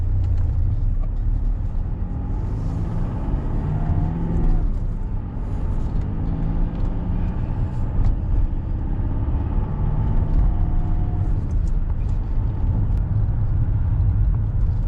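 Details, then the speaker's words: 2009 Mercedes-Benz W204 C200 test drive after replacing worn right front drop link (ball joint) and adjusting play in left front wheel bearing; steady road rumble and tyre noise at cruising, rattling gone, no knocks — no suspension rattle. "Oh, I've not heard any noises so far. You can tell it's starting to get dark. But, the the rattling's gone, so I can safely say that seems to fixed"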